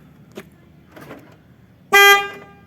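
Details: 2010 Ford Transit Mk7 LWB camper van: two faint lock clunks then one short horn blast when lock is pressed, as it thinks the rear doors are open; the cause was broken wiring in the rear door hinge loom.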